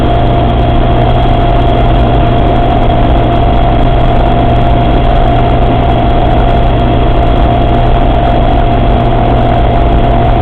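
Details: Suzuki Samurai at steady idle with a constant mid-pitched whine over the engine throughout; strange transfer case noise, cause unknown.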